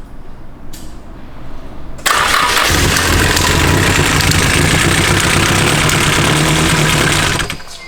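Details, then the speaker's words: SR20 swapped Nissan 240SX S13, first start, cam angle sensor timing uncertain, oil then found leaking from cam chain tensioner: cranks, catches after a couple seconds, runs loud and uneven with lumpy beat; rough first start. "so why my cam angle sensor is it timed so it might run kind of rough"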